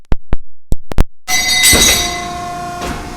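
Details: Hydraulic shear cycled with the foot pedal after the material is fed in and the back gauge touched off. Pedal clicks, pump hum and one crisp cutting snap; a normal cut.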